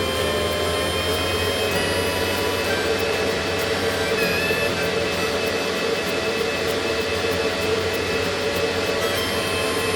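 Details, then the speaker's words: Antminer after fitting new 6,000 RPM cooling fans, cover back on, starting up: steady high-speed whoosh with constant pitch, no rattles or scraping; fans spinning up and running normally. "Got those fans really running now."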